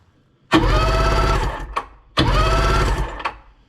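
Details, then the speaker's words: Sea-Doo Sportster 1800 jet boat, twin Rotax 717 two-stroke engines, barn-stored at least 18 months, spark plugs out: two bursts of quick even starter churning with nothing binding; engines and pump units not seized. "so yeah we do have life the engine's not seized the pump units not seized"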